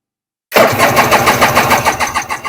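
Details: 1994 Kawasaki 750SX stand-up jet ski, unused for years, after ignition switch wiring: strong even cranking with no grinding or slipping; starter turns it over healthily, spark then confirmed.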